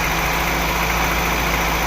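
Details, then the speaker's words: VAZ 2109 with 1.3 petrol engine after fixing hunting idle and jerking on overrun: idles smoothly at constant speed with no rise and fall in revs; normal steady idle. "не плаває нічого"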